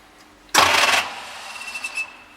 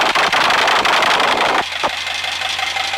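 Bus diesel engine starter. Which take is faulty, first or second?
first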